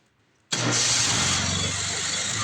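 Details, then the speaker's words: MTD 4.5 hp 21-inch two-cycle electric-start single-stage snowblower with fuel issue; with carburetor cleaner sprayed it cranks and catches abruptly, buzzing high and rough, so fuel isn't coming through the carburetor; carburetor and fuel line being replaced. "That sounds like a winner. So, we actually got an attempt to start."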